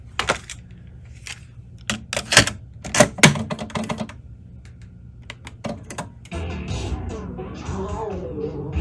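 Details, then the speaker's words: Aiwa Excelia XK-007 cassette deck, after transport service and capstan motor swap, still failing on the first tape tried: several sharp, uneven mechanical clicks from the transport, then only steady hiss; tape not being driven. "You hear that? It's not playing that tape."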